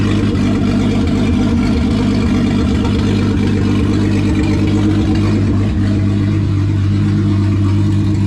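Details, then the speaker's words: VW VR6 turbo engine with methanol injection and intercooler at final assembly after rebuild; open throttle body tied together to get it to idle right: deep, even hum settling steadily at low revs without hunting or stumbling; smooth idle. "so he likes that a lot better well i realized that the math wasn't working since it was an open throttle body so yeah i just tied it together just to see if i get it to idle right"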